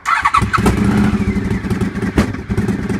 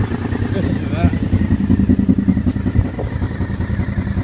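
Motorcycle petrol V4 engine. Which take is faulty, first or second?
first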